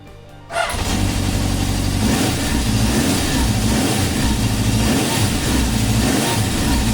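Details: 1972 Honda CB750 Four, dry-sump engine, just after an oil change with about 3 kg of oil, first cranked with kill switch off until the oil light went out: fires after a brief crank into a steady, even four-cylinder idle with no knocks. Normal idle.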